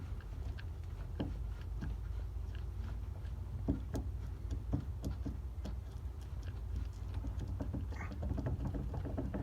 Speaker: It's actually in the bushing itself. It's in there. So I'm wondering if I could just get a, and that's really loose too. I mean, it should move when it's greased, but that's free play.